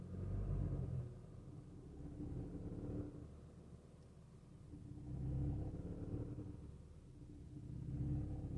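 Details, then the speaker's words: Skoda Octavia 3, 1.5 TSI with DSG, at about 1000 rpm in gears 1 to 4 under light load. A low droning rumble swells and fades every few seconds: a rubbing resonance in low gears, cause unknown. "Przy około 1000 obrotów jest taki rezonans."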